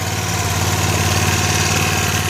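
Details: Vintage Honda E300 300-watt generator (about 1970), small single-cylinder engine running after carburetor cleaning: steady even beat, no knocks or rattles; running healthy.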